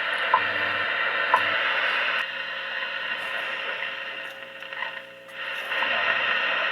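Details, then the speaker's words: 1938 Zenith 9-S-232 tombstone radio, sent in for distortion and low shortwave reception, run on a variac below line voltage: after oscillator alignment, WWV 15 MHz time ticks come through once a second over soft static; reception is good. "okay so i touched up the alignment off camera and we got the oscillator pretty close that's wwv on 15 megahertz"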